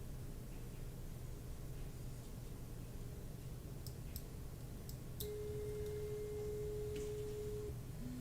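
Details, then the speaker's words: Voron V0 3D printer on Klipper/Mainsail, Pi Zero with SKR Mini E3, after setting endstop position: over quiet room hum a clean steady stepper whine for about two seconds, then a lower tone; the axis homes normally. "Okay, we're good. Z homes, and then moves to the middle."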